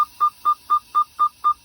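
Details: 2021 Freightliner Cascadia, 79,747 miles: rapid dash beeping about four per second with "park brake air low, brake may drag" message after parking brake release despite full air tanks; caused by a failed sensor under the driver-side dash behind the accelerator.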